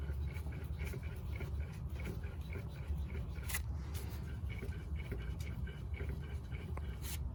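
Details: 2010 Mazda3 front passenger wheel bearing, which grinds loudly on left turns, turned by hand with caliper, rotor and driveshaft removed: faint gritty ticking and scraping, about four a second; press-in bearing still to be replaced.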